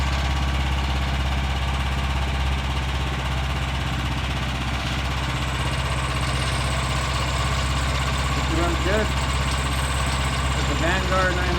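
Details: Revived Vanguard 9HP tractor engine after draining old gas and carburetor work, oil topped off: steady, even low hum, smooth unchanging beat, no misses or knocks, no fuel leaking, much quieter. Normal idle.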